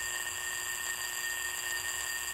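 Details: Fuel injector on a homemade bench pulser, being cleaned while submerged in multipurpose cleaner. A steady, fast, high-pitched buzz with fine ticking and no low rumble: the injector is pulsing and working fine.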